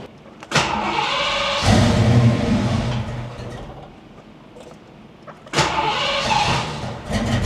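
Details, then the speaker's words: Foxbody V8 after swapping injectors, idle air control unplugged, shop about 111°F: idle swells and sags, surging badly for 15–20 seconds after startup, then levels out around 950 rpm. "doesn't like the idle initially when you start it up it wants to Surge real bad but after about 15 20 seconds it levels out and it's idling good now"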